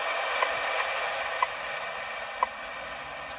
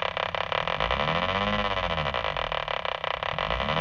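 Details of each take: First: Mobile HF ham radio receiving WWV at 10 MHz on AM after vehicle bonding and ignition-noise work: a soft steady hiss with a crisp once-a-second tick and no ignition crackle with the car off; clean reception, no ignition noise. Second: Mobile HF ham radio receiving WWV at 10 MHz on AM in an older vehicle with the engine running: a rapid, even ticking buzz that follows engine speed rides over the hiss. Ignition interference persists despite bonding and ground straps.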